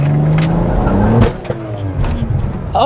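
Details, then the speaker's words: BMW N54 with 17T turbos, launch in second gear, stalled up to just over two: hard pull then sharp bang as load drops away; something broke in the driveline, suspected axle or CV joint. "that was i just broke something [ __ ] [ __ ] that was an axle oh no ah whose idea was it to do second gear"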